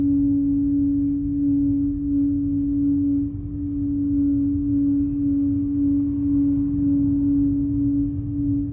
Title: A6 humming noise